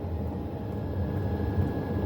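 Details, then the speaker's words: HCalory 8KW diesel air heater with new fuel pump running: steady low burner-fan roar with faint thin whistle, no fuel pump ticking; healthy, quiet running. "I can't hear it. So if you're wanting a diesel air heater that you can't hear it tick, if you are a light sleeper, this is the unit for you."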